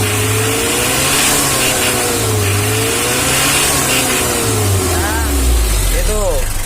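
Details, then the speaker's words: 1994 Mitsubishi L300 diesel, crossed with 2010 parts, tuned for hill and rough-road climbing. The revs rise and fall smoothly with a deep, aggressive note and no knocks: normal revving. "Biasanya saya semakin keras, semakin hanya suara angin kipas doang yang bunyi. Kalau ini bunyinya galak guys."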